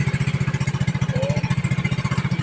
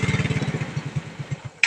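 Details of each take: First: Yamaha Mio Sporty scooter, tested by squeezing both brakes. Crisp single-cylinder putt at about eleven pulses a second, steady without stumbling or dying. Normal running. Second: Yamaha Mio Sporty scooter dies when the brake is squeezed. Firing pulses at about ten a second fade and stop, then a click. The regulator wire was burnt, so the scooter ran only on battery supply. Engine stalls when braking.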